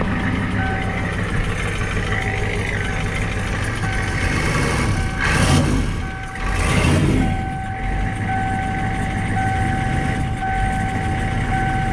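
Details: 1994 Ford F-250 7.3 IDI diesel with newly installed turbo, CAT injection pump, cold start without glow plugs (about 80°F, humid); steady even diesel clatter at idle with a constant beeping tone over it, settles and runs smoothly, normal idle.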